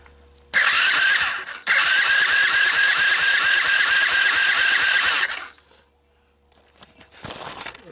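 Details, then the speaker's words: Sunl 110ST Chinese ATV, formerly weather-seized engine with rusty honed cylinder, compression test with carburetor wide open: steady starter crank about two turns per second, even compression pulses, no dragging; reading around 90, not too bad. "somewhere around 90 so not too bad remember when you're doing compression check you got to have the carburetor wide open if not you could get false and strange readings"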